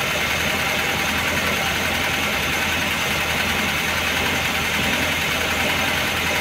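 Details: Engine fully warmed after sitting a day and a half, hot idle: light fast metallic tapping high over the engine, keeping pace with revs; heavily worn camshaft and its bed, oil pressure light flickers when hot.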